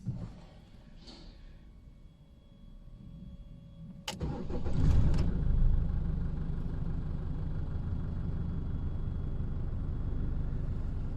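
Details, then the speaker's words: 2015 Holden Colorado RG, 2.8L Duramax LWN turbo diesel, first start after a new part fixed its crank-no-start fault, no fault codes stored. A short crank, then it catches at once and settles into an even, steady idle. Normal start and idle. "and there you have it started first time as you can see the this bike straight up and uh run immediately so we have a success on this"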